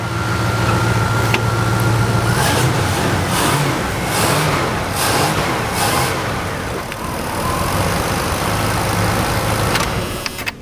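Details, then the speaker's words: 1990 Dodge Ramcharger after fuel return system bypassed to fix excessive fuel pressure from blocked return line: smooth even blips with no knock, miss or stumble; engine revs cleanly. "it runs perfect let me go ahead and turn it off I'll rev it for you"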